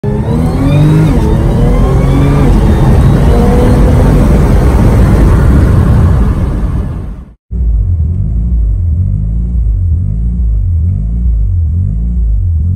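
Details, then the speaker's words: Mitsubishi Evo 8, warmed up, idling at 1500–2000 rpm even with the idle adjustment screw turned down, and lowering it brings an idle surge: engine revs, then holds a fast idle that slowly rises and falls. "as you can tell the car is kind of warmed up right now already but it wants title at 1500 to 2000 RPMs I've actually turned down the adjustment screw to lower it but what also happens is I start getting an idle surge"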